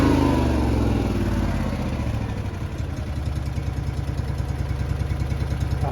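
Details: Honda EB 11000 generator on a 20 lb propane tank with the restricting connector bypassed: catches at once and settles into a steady, even low thump with no stumbling or hunting; clean, healthy start.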